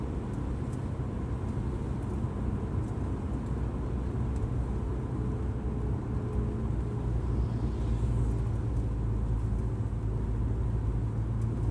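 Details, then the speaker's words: Subaru Outback cruising at 50 mph after both front wheel bearings and the struts were replaced, giving steady low road rumble with no wheel bearing drone; the car is much quieter and smoother than before. "car is so much quieter and smoother 50 miles an hour here across the hill"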